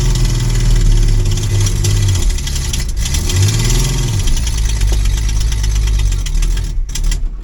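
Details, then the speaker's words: 1966 Ford Mustang, newly acquired and reassembled: revs hunt up and down every second or so instead of settling, then sag and nearly stall. Unstable idle; owner suspects the carburetor, maybe a vacuum leak at its base, unconfirmed; plans to pull it. "So, yeah, there's some refining to be done on that carburetor. I think I'll go ahead and pull that off. At the minimum, maybe it's got a vacuum leak at the base or something like that."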